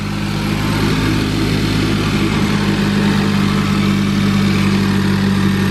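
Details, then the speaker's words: Ford Focus ST (mk3) with a newly built replacement engine (stock one blew at 450 whp), first start, really cold, catless downpipe but resonated so quieter: steady, even idle with a constant low drone while warming up; normal cold-start idle. "i do have it resonated so that's why it's not as loud so i do have a catless downpipe"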